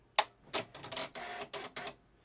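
Sharp click, then a few quick buzzing carriage sweeps that stop cleanly; the head homes at power-up exactly as it should.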